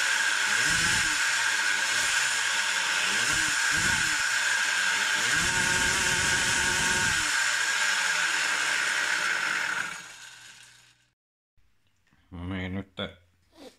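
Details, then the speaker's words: Samurai 40cc two-stroke: screaming high buzzing pitch that won't climb further, like hitting a limiter at the same rpm as five years ago, then cuts off and dies away. "so it still doesn't seem to take full revs it sounds like it has a limiter at same rpm as before as it had 5 years ago"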